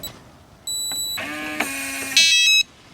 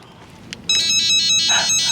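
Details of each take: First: RV door keypad lock with beeps restored by holding button 1 again for about five seconds: clear high beeps with the lock motor buzzing between them on lock and unlock; normal operation. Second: RV keypad/fob door lock with nearly dead AA batteries: quick run of sharp, high electronic beeps in under two seconds while it still unlocks; low-battery warning, not broken.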